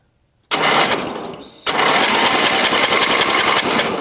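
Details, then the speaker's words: Yardman (MTD) riding mower cranked on a booster with spark plug grounded for testing: uneven cranking about three to four beats a second with no firing; no spark seen. "I still don't see spark."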